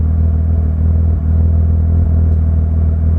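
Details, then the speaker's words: BMW E36 M3 after M50 manifold swap and tune: deep idle with uneven loping beat and brief sags, lumpy rather than smooth. Rough idle. "can hear how is still kind of lumpy and not a very smooth idle"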